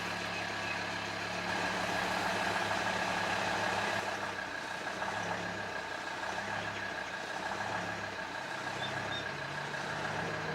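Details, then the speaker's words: Volvo XC90 D5 diesel on a cold start: the low idle swells and sags as the revs hunt up and down, which goes away once warm. Owner suspects the diesel fuel filter, but replacing it didn't cure it. "So when you first start it, when it's cold, the revs are going up and down. It's hunting."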